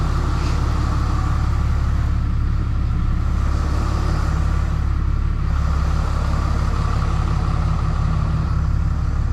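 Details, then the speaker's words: Freshly rebuilt 6.7 Cummins diesel during break-in, high idling to warm up before hot retorques, with the AC on to add heat: an even, steady clatter and a smooth deep drone with no knocks; a normal high idle. "All right, we'll get this backed out and get it high idled. And while it's sitting out there warming up, we'll get our tools ready so we can rip this thing apart and retorque everything."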